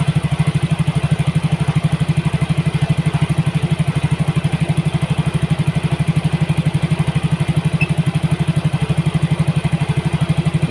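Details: Yamaha Mio GT injected scooter after injector replacement and CO trim cut from 15% to 7%; mixture balance right, O2 sensor 0.49 V. Steady, even putter, regular firing, no misses or hunting; normal idle.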